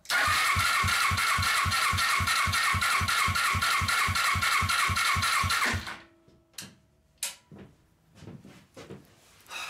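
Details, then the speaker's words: Warmed-up Suzuki GS500 twin from a mini buggy build, compression test on the right cylinder: even starter cranking near 220 a minute for six seconds; both cylinders only about 90 psi warm or cold. "all right so it has bad compression I mean 90 is bad 100 is bad 90 is even worse"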